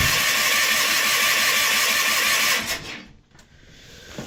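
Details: John Deere 316 lawn tractor, cold start after sitting about three months; owner suspects it isn't getting fuel. Steady fast cranking churn for about two and a half seconds with no firing, then stops: cranks but won't catch.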